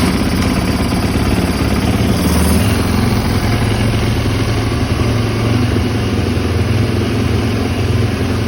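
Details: 2010 Yamaha YZ450F single-cylinder, previously hard to start needing push starts, after valve clearance inspection, new cams, spark plug and fuel pump: steady deep, even thump with no knocks or misses; normal running.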